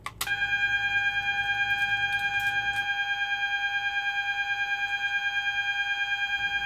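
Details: Fireguard 4000 panel test triggered from a Twinflex manual call point, System Sensor MAEH24MC sounder set to 800 Hz continuous; loud steady tone near 800 Hz with faint regular pulse; sounder operating normally in alarm.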